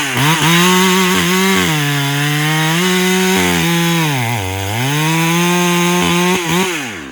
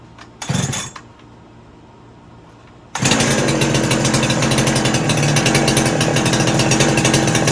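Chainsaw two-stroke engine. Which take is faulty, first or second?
second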